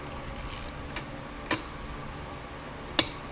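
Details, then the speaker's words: Honda TRX ATV engine during rebuild: spring-loaded shift drum detent wheel, set against its pin in the case, turned by hand; a few sharp, clean metallic clicks as it snaps crisply into each shift drum notch, normal detent action. "This is the wheel that you hear clicking inside the notches on the shift drum."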